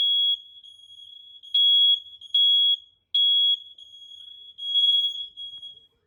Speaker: Here, I'll hold down on this one, see if everything else is going off just fine.